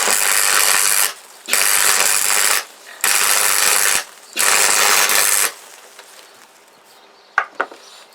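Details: Freshly repaired MIG welder, wire feed just reconnected and wire speed turned down, welding scrap metal: crackling, sizzling bursts of about a second each with short pauses, laying short beads steadily; repair a success, welder works properly.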